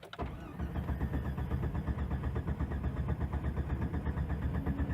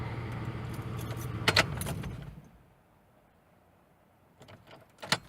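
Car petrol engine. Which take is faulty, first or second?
first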